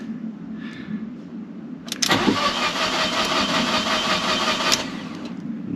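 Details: Fiat 500 TwinAir replacement engine: starter whirrs about three seconds, turns evenly but never catches after attempting fuel cut-off reset via indicator stalks; codes later P0230 fuel pump relay and a spark plug code.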